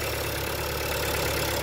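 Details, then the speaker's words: Another Audi petrol, 18 reg with 25,000 miles, idling with the bonnet up: steady, even idle with a light fast tapping from the top end. The tappy sound comes from the sensitive phone microphone, not the engine. Normal idle. "So it's not the, it's not the engine at fault. It's just the way the camera and the microphone's really good."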